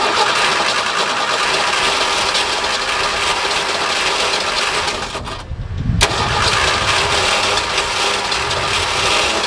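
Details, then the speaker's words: Forklift engine after installing a new muffler, still on the worn original carburetor: even, steady run with a soft hissy, well-muffled exhaust note, far quieter than without the muffler; black smoke from earlier exhaust ingestion. "Wow, that's crazy. That is so much quieter than this when it isn't hooked up. So, that's a win."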